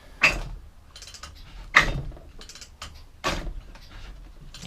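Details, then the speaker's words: Efco straight-shaft strimmer, two-stroke, ran very lean, fuel added, first pulls: three harsh scraping pull-cord strokes about 1.5 seconds apart with no firing, something metallic catching as the shaft spins; grinding on pull-start. "don't sound very good something is catching when you pull the cord as well the shaft also spinning"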